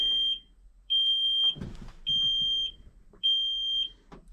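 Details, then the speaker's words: Kenworth T370 diesel truck, key on, engine off, during fault-code scan: high sharp half-second beeps about once a second with talk between; cab warning buzzer, cause unknown. "but I'm sorry about the beeping this is terrible"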